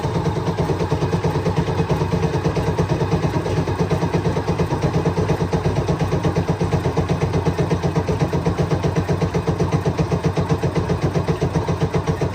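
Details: Cummins diesel in a CVRT Sultan neglected 20 years with rainwater ingress, cranked after fuel feed refitted: starter churns a steady low rhythm about four beats a second for over ten seconds, never catches; cranks but won't start, batteries low.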